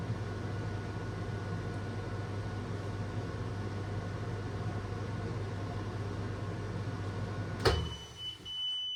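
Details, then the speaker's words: New Logik LCD8W23 condenser tumble dryer on its first test run, warming up: even low drum rumble and fan hum, steady throughout, ending in a short beep; normal running. "And it's getting warm already. Cool, it's working. So that's good."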